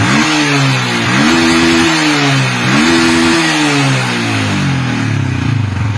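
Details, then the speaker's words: Yamaha Vixion motorcycle with a weak battery and dead lights: engine blips up and falls back three times; charging reads about 12.8 V at idle but drops when revved, faulty voltage regulator. "nah angkanya kok jadi turun seperti ini ketika di blayer pantesan aki bakalan ckar terus ya karena ketika blayar motor pengisiannya malah turun bukan bertambah"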